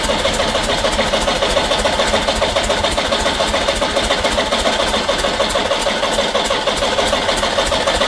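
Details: Backyard-find Peugeot 504 diesel parked since 1987, fresh diesel in tank: long unbroken cranking about three and a half beats a second, never fires; starter struggling; owner guesses valve train problem, unconfirmed.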